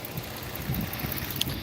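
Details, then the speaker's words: Base-model 2010 Dodge Challenger 3.5 V6 from a police auction, jump-started on a weak battery: low, soft, even rumble with no knocks or ticks, barely audible; normal idle. "and it actually sounds really good though wow you can barely even hear it running"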